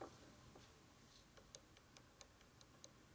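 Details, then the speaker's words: 1946 Harley Knucklehead stroker (84ci) with a 500-mile new reproduction motor, under teardown: its brand-new gears, rocked by hand, give light, uneven clicks a few per second as loose teeth slap. Excessive tooth clearance shows the gears are already worn. "So it's worn out, brand new. What a shocker."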